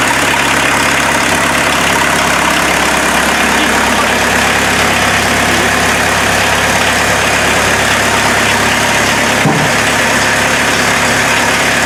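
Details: Mazda B1800 / Ford Courier pickup with VW diesel swap, started after about five months sitting, no hood, awaiting custom exhaust: steady, even diesel clatter at idle over twelve seconds, no misses or knocks; normal diesel idle.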